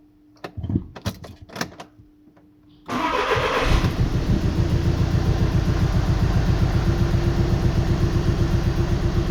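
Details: VW with stored code P065100 (sensor reference voltage 'B' circuit open) after the no-start was fixed: a few clicks, then the engine cranks, catches quickly and settles into a steady, even idle; normal running.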